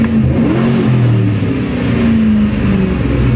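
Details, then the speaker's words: 1997 Mustang SN95 with an intermittent starting problem, owner suspects an electrical fuel pump fault: low, steady hum at an even pitch with no skips or knocks; normal idle, so the fuel pump is feeding fuel. "runs fine it's feeding fuel so the fuel pump is working"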